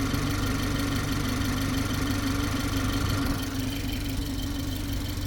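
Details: BMW G20 330i at idle: steady low hum with a faint fast ticking riding on top, a strange abnormal noise of unclear source.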